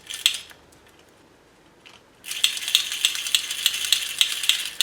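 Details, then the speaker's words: Restored James Bond tin toy car motor after fitting a replacement gear; one shaft sits slightly out: short pause, then a thin, high buzzing whirr with faint ticking; the gear train is sticking and dragging. "This shaft is a little bit out, but I think I'll have to leave it. It's sticking a bit, but I hope this loosens out a bit."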